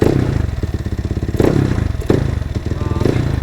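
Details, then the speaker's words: Yamaha NMAX built to 63 bore-up (JBT block, RS8 head internals, new cams, valve springs): idle with fast even metallic clicking in time with the engine, because the CVT pulley is off with the crankshaft thread stripped. "So ang click lang, 'di ba mga par? So yung naririnig yung ingay na yun dahil wala siyang pulley doon."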